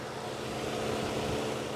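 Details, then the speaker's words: 2004 Mazda Tribute, 2.3 L, after repair of an erratic cooling fan, ignition on and air conditioning switched off: steady whooshing hum with a faint constant tone, duty cycle audibly stepping down, no surging or rattle. Normal cooling fan operation. "so that Judy cycle you could hear the sound come down the Judy cycle was being uh stepped down according to what was NE necessary"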